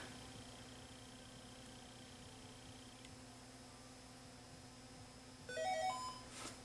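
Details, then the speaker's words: Samsung LN-S4696D fluorescent-backlit LCD TV, previously dead with clicking relay, after repair and reconnecting backlight high-voltage connectors: mains hum, relay click, chirpy start-up tones; powers up normally. "Sounds like the set's going to turn on."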